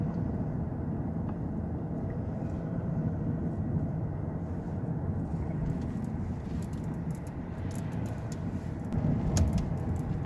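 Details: 2009 Lexus LS460 driving over unpaved or rough road, irregular light clattering and knocking from the underbody through steady road rumble; a subtle noise that was hard to locate and was found on the second attempt.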